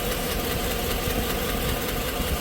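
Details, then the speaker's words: 2017 Chevy Suburban V8 with 109,000 miles, in for cylinder 4 misfire, idling with a fast light top-end tick from a collapsed lifter, blamed on the AFM (active fuel management) system; large repair job. "you're going to see it's got a collapse lifter collapse lifter because the stupid ass AFM system that they put in there the active fuel management that are in these trucks are are going out so much faster now"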